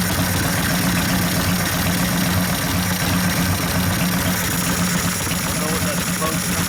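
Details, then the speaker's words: 1972 Harley XL Ironhead Sportster bobber, motor rebuilt after wasted pistons and a torn pinion bushing and now with a good transmission, gives a loud, lumpy V-twin thump at a steady idle with no knocks or rattles. Normal idle. "That's what real Harley sound like, not that modern crap. Sounds good. Yeah, I fucking love it. Sounds powerful."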